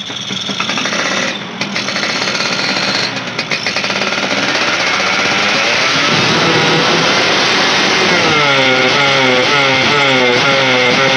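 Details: Yamaha motorcycle revved hard, engine climbs then sags instead of reaching full revs; lack at top end, fuel or weak ignition suspected, finding an ignition fault.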